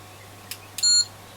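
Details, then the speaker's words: ESR meter testing 4.7 capacitors removed from Sony ICF-2001D receiver during recap: two quick clicks then single short high beep, flagging high ESR (about 5.6–6 ohms versus 2.6 new); capacitors no good. "So that's got an ESR of like 5.6, and it's given like that noise. No good. It's strange. Those are all high."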